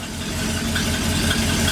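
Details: 1959 Ford F100 special delivery panel truck V8: steady even idle with deep rumble and no stumble or skipped beats; owners hope it runs better.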